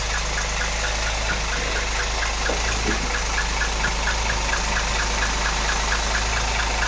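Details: 1964 Rambler engine at idle: a steady idle with a light, sharp tick about twice a second riding over it; the source of the tick or knock is unclear.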